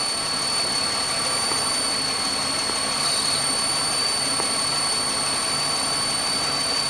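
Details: 2005 Chevy Impala with occasional stall and crank no start (injector and cam harness problem): steady idle under a constant sharp hiss and thin whistle; a vacuum leak is found.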